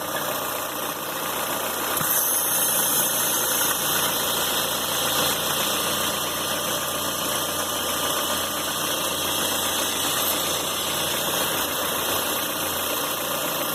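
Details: Citroën C4 Pallas at idle: steady idle with a faint, irregular rapid ticking over a hissy top end; abnormal engine noise, cause not evident.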